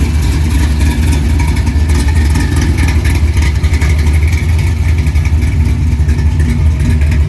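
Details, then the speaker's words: 1964 Chevy II Gasser, LS V8 swap with Holley Terminator X, after cooling system filled; deep steady loping idle, even rumble, no knocks or misses, set at 950 rpm (owner wants 800); normal idle. "It's actually idling, so I'm just gonna leave it alone. I set it at 950. I'd like to hear it about 800."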